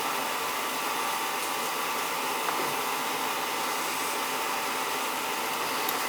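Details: Oil-fired boiler (possibly New Yorker) with Tjernlund power venter, tripping off and not firing: venter fan rushes steadily but burner never fires; 110 V reaches burner motor yet it won't run, diagnosed bad burner motor (CAD cell doubted).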